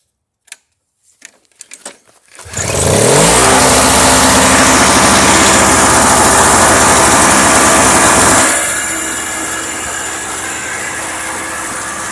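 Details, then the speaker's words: Toro CCR 2500 snowblower with its top cover off and starting fluid down the spark plug hole: it fires after a few pulls, revs loud, then settles to an even run; the engine was likely flooded or on old gas and now runs normally. "the engine's probably just flooded or the gas in the tank was old because when I put the starting fluid in it started right up so yeah working snowblower"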